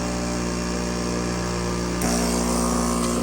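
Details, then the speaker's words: Fluoromizer model 3500 refrigerant recovery machine, which had not worked the other day, bench-tested: steady even compressor drone with a smooth pulse, drawing 4.5 A (rated 5.6 A), vibrating, pulling vacuum and building good pressure; normal running. "Okay, it works. Sounds healthy. Only 4.5 amps. You can hear it vibrating away, pumping like a little dog."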